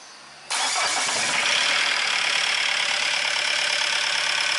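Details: Diesel after the chain and pump timing were checked and the cold-start advance regulator wire was powered and adjusted: catches immediately, then settles into an even clatter with a steady rhythm and no harsh knock; normal idle, pump timing right.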